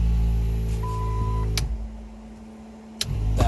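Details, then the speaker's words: ARB on-board air compressor in a 2006 Jeep LJ Rubicon, fan wired to the ignition: a steady motor hum that cuts off cleanly when the pressure switch reaches 100 psi, with fan noise behind it, a normal compressor cycle. "And notice it turned itself off just now because this pressure sensor switch reads 100 psi, which you can see the gauge reads 100 psi, and it shut the compressor off."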